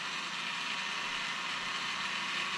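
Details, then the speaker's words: Traxxas XRT Max6 ESC cooling fan, one of two fans working: steady high-pitched rattling buzz with fast ratchet-like ticking; the fan is sticking and seems to hit the case, debris or blade damage suspected, not confirmed. "I only have one fan working. This fan is sticking. You can hear it."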